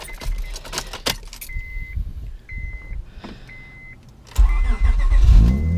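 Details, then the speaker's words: Honda Accord V6 (J-series, aftermarket cams) with battery relocated to trunk, Gold Wing motorcycle battery (500 CCA) on 0/1 AWG cable: chime, then immediate catch into even running, no slow cranking; normal engine start. "it starts the car perfectly let me show you guys just starts the car perfectly zero issues with it"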